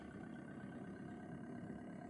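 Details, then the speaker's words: Pulse motor with 1-2-3 BCE circuit on a 9 V power supply at about max speed: steady, even hum with a constant low buzz, no knocks or surges; owner thinks the coil may be why it is smooth; normal smooth running. "It might have something to do with the coil that I'm using, but it's smooth. It might not be the fastest in the world, but it goes pretty fast and it's smooth."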